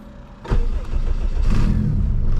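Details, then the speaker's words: Turbo K20 AWD Civic wagon, engine started and settling to a fast idle: a raspy puffing hiss over a low rumble from a massive exhaust leak, suspected at the downpipe on the turbo side, with no visible cracks. "But somewhere here we have a massive exhaust leak. I don't visually see any cracks whatsoever, but it's most definitely there."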